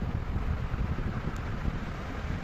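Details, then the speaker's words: Atomberg Renesa 28 W BLDC ceiling fan on boost mode at full speed (35 W): soft, low, even rush of air with no motor hum, ticking or rubbing; louder due to airflow, not motor noise, normal. "इसकी आवाज़ थोड़ी सी ज़्यादा है, क्योंकि इसमें आवाज़ in the sense कि motor की आवाज़ नहीं, लेकिन जो हवा आती है उसकी आवाज़ काफ़ी ज़्यादा दिखती है, और इसके कंपेयर में ये कम आवाज़ करता है और इसमें ज़्यादा आवाज़ आती है।"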